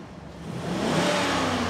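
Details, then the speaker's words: Cadillac Seville STS V8 after rebuild following an engine blowup, short test drive; pulls smoothly from a low rumble into an even rising rev with no knocks or ticks; normal revving. "Evet süper ver gazı ver Evet Hey maşallah sese bak g Araba yağ gibi oldu ya"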